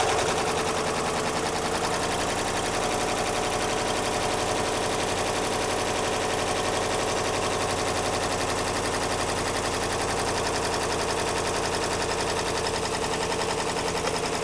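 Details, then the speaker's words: 2013 Jeep Grand Cherokee with a 5.7 engine at about 160,000 miles, running right after a jump start. It has a harsh, uneven clattering idle with irregular misses and sounds rough. The oil was then found to be a quart low. "So, let it start because that sounds really bad. I don't even know if this thing's going to run."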